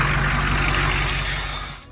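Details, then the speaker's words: 2006 Ford F-350 6.0 Powerstroke diesel, first run after sitting about five years, after stand pipe and dummy plug work: steady, even diesel clatter at idle with smooth low rumble settling at the end; healthy idle. "and there it is 6-0 F-350 running"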